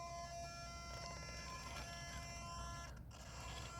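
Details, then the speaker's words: Traxxas TRX6 crawler with a fast, powerful front steering servo: a steady high-pitched whine over the motor hum whenever the servo is under load while crawling. "you hear that Servo good Lord anytime it gets pressure put on it it makes a humming hear it I mean it's a super powerful fast servo"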